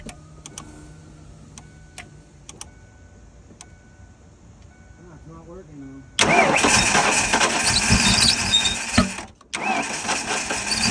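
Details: 1992 Ford Mustang GT Foxbody 5.0 V8 project car, cold first start after sitting with no oil and old fuel; quiet, then engine fires and a loud continuous high screech rides over idle, accessory belt gliding over a pump pulley (suspected).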